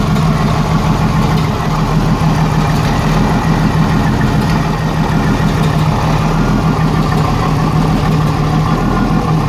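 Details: 1987 Jeep Cherokee Renix 4.0 idle: low, lumpy, stumbling beat of one cylinder missing; exhaust rocker on cylinder 6 barely moved, cause a sticking exhaust valve or bad lifter; loosening that rocker bolt made it run smooth, leaving a slight tick.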